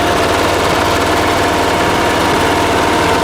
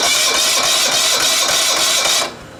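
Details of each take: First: Late-1980s John Deere RX95 ride-on mower with a 36-year-old Kawasaki FV460V engine, first start after carburetor and starter rebuild: a steady, even putter at constant idle with no stumbles or knocks. It sounds good. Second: Rebuilt starter on a 1980s John Deere RX95 mower with a Kawasaki FV460V, cranked off a car battery: fast whirring crank with a harsh metallic rasp on each turn. The starter teeth sometimes fail to catch the flywheel properly.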